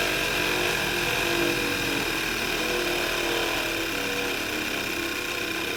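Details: VW MK6, just after the morning start: sounds fine, then a harsh high-pitched grinding whir at steady pitch starts over the running engine; caused by a failing alternator, noise gone after replacement.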